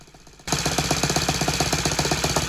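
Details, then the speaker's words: Saito 100 single-cylinder four-stroke nitro glow engine on test stand: fast, even metallic chatter on the engine beat, about ten hits a second, from intentionally loose stand screws and copper exhaust deflector tube, not the engine. "well the rattling here is actually all the loose screws on the test stand they're supposed to be loose and my exhaust deflector copper tube there uh going down on the bottom because it rattles not the engine"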